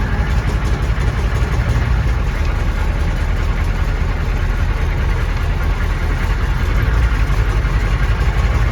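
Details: 1993 M998 HMMWV, 6.5L naturally aspirated Detroit diesel, cold start; it ingested water during a crossing and lost compression, owner assumes hydrolock bent a rod: deep, loose, irregular knock about three per second under the idle clatter. Knocking at idle.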